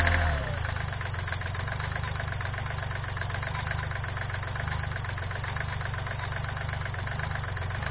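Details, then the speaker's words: 2012 Kia Rio 1.1 CRDi 75 hp diesel with DPF, first start after sitting about 8 months: rough idle with strong uneven knock about four per second, worsening with acceleration; owner suspects piston slap from worn pistons. "motorul are o butoaie puternică care se accentuează odată cu accelerarea lui presupun că este o bătaie de piston"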